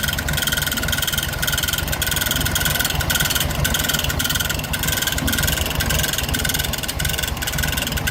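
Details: 1970 first-series VW Fusca (Beetle) air-cooled engine at steady idle with a faint repeating tick over the rumble; odd noise, cause unknown.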